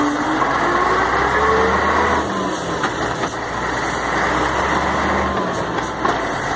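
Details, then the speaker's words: Mercedes-Benz MB 1634 diesel truck road test just after differential was reassembled: steady engine drone, no whine or clunk from rear axle; the loud roar that occurred only when lifting off the accelerator is gone, differential normal. "i a menino acabou o barulho acabou aquela barulheira acabou o barulho linda agora"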